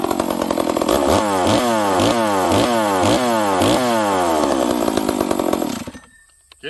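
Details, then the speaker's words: Old Stihl 038 chainsaw revving cleanly at full throttle several times with no bog; huge compression and crisp ignition timing, running normally. "this thing friends these stills especially these old ones um they mean business this thing's got huge compression and uh it's got a crisp ignition timing on it"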